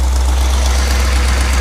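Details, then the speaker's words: 1977 Chevy G20 van, carburetor cleaned and new fuel filter, started after cranking to prime fuel: low, even idle rumble without hunting or misfire; normal idle, though choke opens a bit early and it later dies. "Yeah, as soon as you got gas, it started right up."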